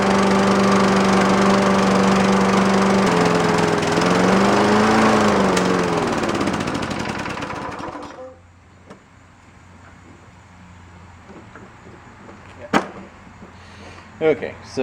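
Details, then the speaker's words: Scotts mower single-cylinder engine after a hydrolock, carburetor check and a new inline fuel shutoff valve: steady, even drone with slight speed wobble, then fades and dies when fuel is shut off; normal running then fuel-starved stall. "because I shut the fuel off. That is what it is supposed to do."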